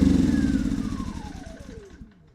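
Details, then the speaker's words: Milbank 2000 generator, a Yamaha clone, pull-started with ignition and choke on. It runs briefly, then the note slides lower and dies within two seconds; a low oil alert follows despite full oil, and a bad oil switch is suspected. "oh yeah it just kicked [Music] it's running uh-oh just shut off why did it do that"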